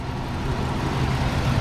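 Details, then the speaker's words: Work truck idling right after an oil change and a dipstick check showing it full: a deep, steady rumble with an even beat and no knocks or ticks. No leaks were found, and it idles healthy. "She's running healthy."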